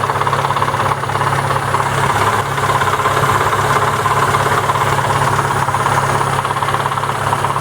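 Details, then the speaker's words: Daewoo/ZAZ Lanos with MeMZ 317 1.4 engine, in for head knock and no oil pressure, now running much quieter: steady idle with a dull knock about twice a second, localized to the clutch housing/gearbox rather than the engine; dull knock at idle. "ну приятен намного тише стал работать но все равно какой-то глухой стук есть и причем создана пицца из блока цилиндров голубки в общей механизм"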